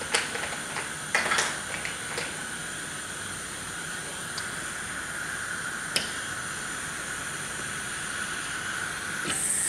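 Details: Pneumatic thermostat, likely reverse acting, hissing constantly regardless of the dial setting: a steady unbroken air hiss from cracked, brittle tubing, with a few handling clicks over it.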